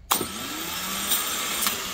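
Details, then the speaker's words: 2004 Nissan Quest 3.5 V6 starter motor, removed for intermittent no-crank, bench tested: spins up to a high steady whir with good torque but faint internal rattling ticks once at speed; suspected not normal. "I mean it seems like it's got still like a pretty good amount of torque but I'm pretty sure that you can hear like a little bit of rattle inside um and I don't think that's normal"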